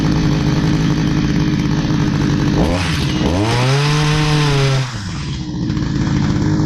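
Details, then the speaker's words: Stihl HS45 hedge trimmer, long unused, two-stroke started after priming with fresh fuel and a new air filter following a customer tune-up: raspy buzz surges up for seconds, then sags and stumbles, no clean steady rev; runs rough, needs more work. "okay so it ran not great we're going to need some more work on that"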